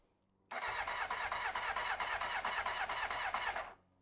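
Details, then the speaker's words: 1993 Honda CBR900RR at first start attempt, spark now confirmed: steady starter cranking about three turns a second for three seconds with no firing. No fuel is reaching the carbs. Cranks, no start. "now we just to get some fuel we need get this there some fuel let's see doesn't feel to me like the fuel pump is are we getting fuel"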